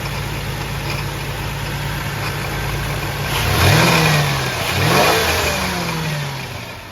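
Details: 2003 Ford F-150 single cab, replacement 4.2 V6 installed after rod knock: steady idle, then two clean rev blips where pitch climbs and falls back smoothly; runs still, doesn't smoke; healthy normal revving.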